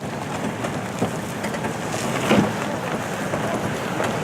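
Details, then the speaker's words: 2016 Toyota Land Cruiser off-road at crawling speed with crawl control engaged, no feet on pedals: fast, uneven crackle of clicks and buzzing over a low rumble, noise seemingly from the rear; normal crawl control operation. "And its unique crawl control feature, which is sort of like adaptive cruise control for off-roading. You set it, you take your foot off the pedals, and you steer, and the Land Cruiser does the rest, with only one little problem."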